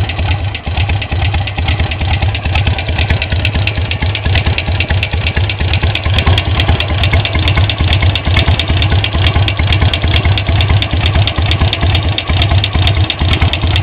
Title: Sportster 883 XL low (ticking sound)